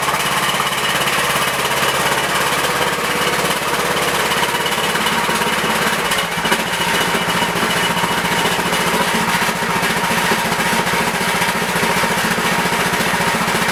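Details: Tractor started after a week unused, with a leaking fuel line clamped by vise grips and battery on a charger: rough, rattly uneven clatter over a harsh exhaust bark, sounds worn; smoking from oil dripping onto the exhaust, engine overfull.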